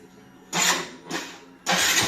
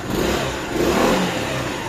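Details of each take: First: Yamaha Xmax scooter engine running: fast, light metallic ticking that keeps pace with engine speed, from abnormal play in a worn rocker arm roller in the cylinder head striking the valves. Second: Yamaha Xmax scooter after cam/rocker roller play and a failed water pump were found: short rev rising and falling smoothly, no ticking or clatter; engine sounds healthy after repair.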